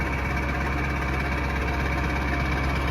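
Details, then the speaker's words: 7.3 Powerstroke diesel truck with 695,000 miles and big injectors, on a cold start: it fires right up into an even, steady low V8 diesel rumble with no knocks or misses while smoking a lot; a normal idle. "this truck smokes a lot we got big injectors here that's why it's doing that hopefully the edpv kicks in it sounds good"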